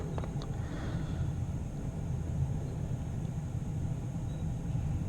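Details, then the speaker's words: 2001 Ford F-150 blower fan, previously working only on high, after bad resistor replacement: quiet, low, steady whir with no rattle, squeal or surging; blower running normally. "oh I can hear it running already"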